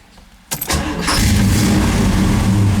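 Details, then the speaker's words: 1973 Camaro Z28 RS V8 just after swapping stamped steel rockers for full roller rockers, thicker valve cover gaskets: brief crank then catches cleanly into steady, even deep idle, no misses or ticking; timing close, normal start. "All right, so it looks like we got the timing pretty close. Maybe just a few minor adjustments, but basically the motor is running."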